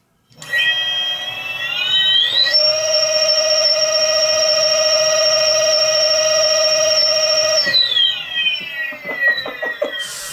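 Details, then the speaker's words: Home-made electric mountain bike, 8000W hub motor as mid-drive on new controller after auto-learn, free-spinning: clean whine climbing to steady high pitch at 1,149 RPM, winding down smoothly; slightly jumpy at full throttle. Normal motor whine. "Wow. 1,149 RPM. That is what I'm talking about. Already, right off the bat."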